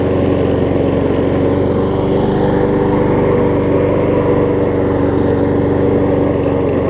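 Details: Troy-Bilt self-propelled mower with donor Honda engine replacing blown Briggs, after restart; steady even single-cylinder putter with no misses or knocks; seems a tiny bit low on compression but runs good.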